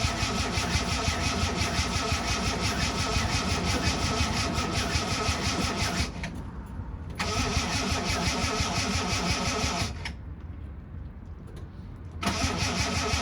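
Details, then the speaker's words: Ford Capri Mk3 3.0 Ghia manual, unstarted for about 20 years, with fresh oil and a new coil pack: repeated slow, labouring starter chugging, about three beats a second, with no catch; battery struggling, low voltage suspected. "You can hear the battery starting to struggle, and it's not cranking the engine so speed as it was."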